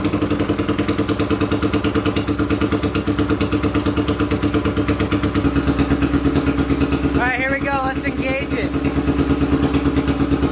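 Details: 800cc lawn pulling tractor engine, first test run in neutral with clutch pushed in, air box and half carb covers fitted; deep, even thumping rumble at steady idle with clean firing pulses, no knocks or misses; sounds much better, normal running.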